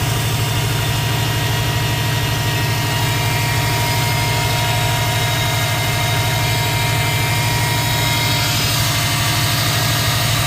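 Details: 2005 Subaru Impreza WRX turbo petrol engine at idle: steady, thin high-pitched whine over the low rumble; the owner also hears a turbo whistle while driving; source unknown.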